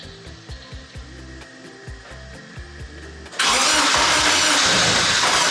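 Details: K24-swapped BMW E30 on its first start, fuel pressure primed to 50 psi; even cranking at about four turns a second, then it catches and runs loud and ragged, a rough first start.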